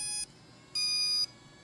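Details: Second-hand Hypergo 14301 RC truck powering up: two bright, high half-second electronic beeps from the speed controller starting normally.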